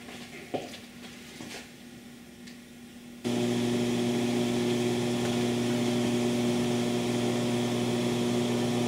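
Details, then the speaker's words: MC phono stage set at 76 dB gain on a basic entry-level power supply, no capacitor pack fitted; loud steady low 120 Hz hum with hiss behind it, power-supply ripple getting into the phono stage. "there is hum and there's also a lot of rush which is typical of phonon stage of this game any phonon stage will have to rush but it is the hum that we want to get rid of the most"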